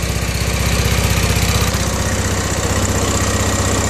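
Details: Honda Pacific Coast converted to MicroSquirt fuel injection, after fixing a wiring mistake; warming engine holds steady, even idle around 1300 rpm with regular exhaust beat, no misses or hunting. Normal idle.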